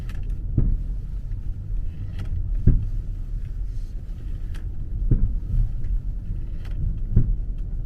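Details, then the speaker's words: 2009 BMW 5 Series, nearly 40,000 km, turning slowly at about 20–30 km/h: dull low thumps from the rear every second or two, shifting left and right with steering; not the loose tie-rod ball joint, pointing to loose cargo sliding in the trunk. "感觉后边跟有东西似的。哎，感觉一会儿在左，一会儿在右。你往左打的时候，它右边撞得响；往右打的时候，左边撞得响，感觉。"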